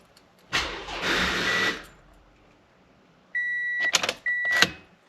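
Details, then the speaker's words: 2015 Toyota Sienna with a completely dead battery: a chime and a few weak clicks, but no cranking, because the battery lacks the amperage to turn the engine over. "I think I'm at the point where the battery is now completely dead it is not driving enough power not quite not quite enough nearly enough amperage to turn the engine over this is what you'll get so that's the sound of your your engine start trying to turn over the uh the engine but it's not able to do that"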